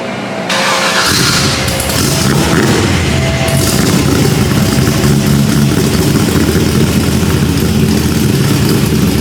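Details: LSX-swapped 450 hp Datsun 280Z, finished custom exhaust: the V8 fires and settles into a deep, even rumble with a steady beat and no rasp or leak; the exhaust sounds pretty good.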